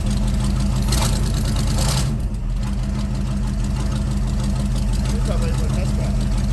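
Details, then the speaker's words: C3 Corvette carbureted V8 idling after float levels were adjusted during the carb tune: deep, steady burble, even lope, no misses or knocks; owner says it's running pretty good; normal idle. "I mean right now it's sounds like it's running pretty good"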